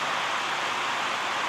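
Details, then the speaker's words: 1960s GE window fan after cleaning and oiling, running on high: smooth, even, quiet airy rush with no ticks, rattles or wobble; normal. "And let's go up to high. It's quiet."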